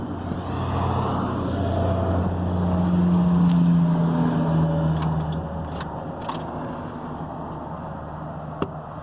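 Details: 1997 Ford Powerstroke diesel cold start at about 20°F in snow after sitting a couple of weeks: deep clatter swells as it fires, settles into a fast steady beat, a little grouchy; no clear fault.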